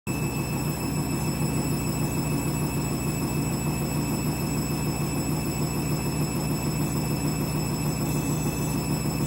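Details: Candy washing machine, new clothes, final spin ramping up: steady heavy rushing roar from drum with a thin fixed high whine on top; strange noise, cause unclear.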